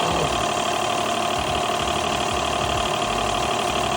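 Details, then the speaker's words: Car wash high-pressure pump after second rebuild with correct valve order, torqued down: steady even drone with soft regular pulse about two and a half strokes a second, no knocking; running normally. "Nice and smooth. We're pumping, baby."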